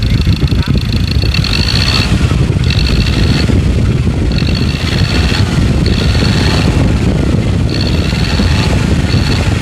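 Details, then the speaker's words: 2.2 diesel free-revving in the shop after injector repair, no coding needed: heavy, steady roar at raised revs, no flutter or knocking. Normal free revving. "เดี๋ยวเดี๋ยวเราจะไปทำทำการทดลองเร่งนะครับว่าเสียงเครื่องมันจะกระพือมั้ยเสียงเครื่องจะมีการเขกมั้ยในขณะอ่าเร่งตัวเปล่านะครับ"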